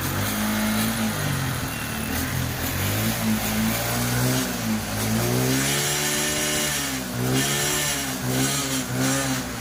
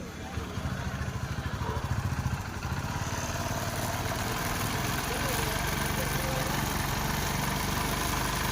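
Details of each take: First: TVS XL100 BS6 after new head/camshaft set and ECM replacement, fault cleared, earlier complaint of starting but no pickup: a small engine revs cleanly up and down with no misses. Normal running and revving, pickup better than before. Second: TVS XL100 BS6 that starts but has no pickup, with no OBD faults stored. Fuel pressure gauge flutters around 30 instead of holding a steady 40. The small engine holds a flat, slightly uneven idle and won't rise even at full throttle. Faulty ECM.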